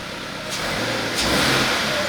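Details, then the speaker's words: Subaru BRZ (FA20) after refitting a missing direct-injector seal that caused a knock: quick throttle blips rise and fall cleanly with no pops or misses, very quiet, no fuel smell; normal revving. "And it sounds really quiet too, which is nice. It sounds ultra quiet."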